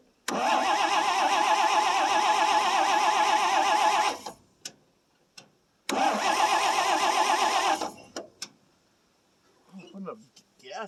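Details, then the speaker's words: 1957 International S120 4x4 pickup after four years sitting: starter spins the engine in two long even bursts, about four turns a second, but it never catches; weak spark, owner suspects worn points or coil. "so it's got weak spark it still won't run uh yeah she's not happy our spark is not good"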